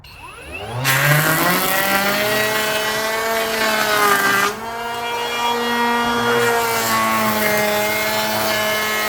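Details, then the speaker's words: Kobalt 24V brushless planer with freshly swapped, very sharp double-sided blades. It whines up high, then bogs into a heavy rasping cut even at minimum depth because the blades were set too deep. "she's cutting out guys but um i've set the blades too deep so even on the very like minimal we're supposed to be nothing it planes a lot"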